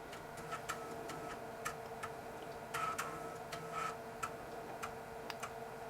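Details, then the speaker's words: Dell 486P/20 (486SX 20MHz) system, replacement floppy drive seeking at boot: quick crisp head-stepping ticks in short bursts over a faint hum, heads moving faster than the original Panasonic drive, floppy potentially working. "sounds like the heads are moving around much quicker Okay so we've got a potential working floppy"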